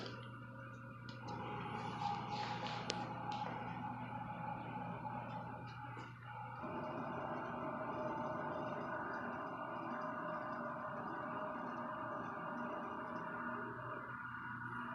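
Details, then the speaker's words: IH clone mill rebuilt with custom castings as a full CNC mill, conversion about 99% complete: homing the axes gives a steady motor hum with a low drone and clicks as each axis travels and stops smoothly; normal. "Let's start it up, see what we can get. Home the axis."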